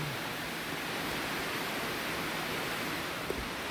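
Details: Coleman liquid-fuel camp stove after a pump repair, with the tank now holding pressure: a smooth, steady hissing burner roar with no sputter or surging. Healthy.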